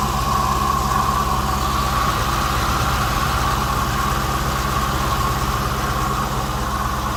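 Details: 2016 Chrysler 300 SRT 6.4 Hemi V8 (built Dec 2015), 59,000 km: steady idle with a raspy mid-pitch grinding over the usual Hemi tick, just started and louder with bonnet open; owner suspects water pump or MDS lifters, unconfirmed.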